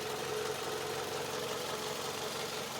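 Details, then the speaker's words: 2006 Toyota Camry, 293,000 miles, suspected bad PCV valve and oil burning: light ticking about two per second over steady idle, worse when restarted after driving; owner suspects idlers going bad, source unconfirmed. "sometimes when I come when I come in off the road and I fire it up it's really ticking down in there that's what leads me to think when them idlers trying to go bad"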